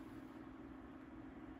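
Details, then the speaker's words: 1980s Sanyo 9-inch oscillating fan, 2-speed shaded-pole C-frame motor, 120VAC 59W, running on low speed before oiling and restoration: soft even airy whoosh with steady hum, no rattle; bearings quiet, normal running. "for this one the bearings sound nice and quiet which is always a relief to hear yeah when it's not uh rattling against the dehumidifier it's pretty quiet"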